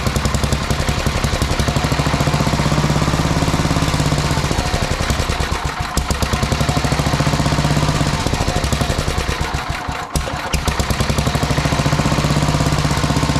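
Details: Sears Suburban 12 lawn tractor with a Tecumseh 12hp engine, barn-stored five or six years, running after rewiring and fuel tank work: fast, even single-cylinder thumping holds steady apart from brief dips; running properly.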